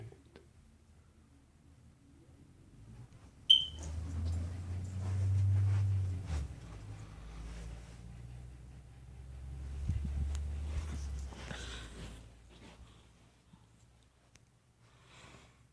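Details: Hardwired smoke detector with battery backup, door open, and battery-operated detector: one short sharp high-pitched chirp over room rumble, door-open and low-battery warning.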